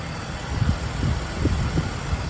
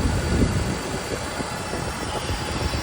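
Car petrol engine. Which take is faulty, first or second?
second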